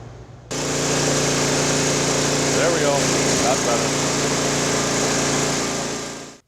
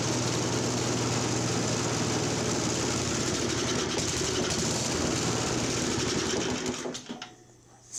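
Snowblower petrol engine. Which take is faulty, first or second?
second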